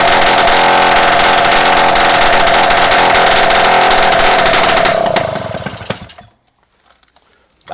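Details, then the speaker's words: Restored Solex 5000 two-stroke moped engine, first test run on workstand after rebuild, before refitting to frame: steady even high buzz at constant speed, no misses or knocks, then winds down and stops cleanly; runs quite well. "il est allé à marcher pas mal"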